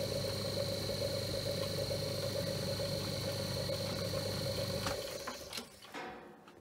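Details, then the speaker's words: Myford lathe motor, three-phase, 4-pole, resilient mounted, converted from plain to ball bearings, run on VFD at least 1500 rpm; even whirring hum winding down, bearings didn't get hot, slightly noisier but cool. "i also tried the vfd and the three-phase motor and upped the rpm to at least 1500 just to see if the bearings got hot but they didn't so"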